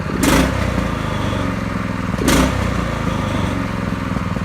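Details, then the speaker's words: Drift trike small engine after chain install and idle set, running at a fairly high steady idle with a couple of throttle blips; vibrates like a go-kart, no knocking or misfiring, sounds healthy. "it sounds pretty good vibrates like a go-kart I think it's pretty good"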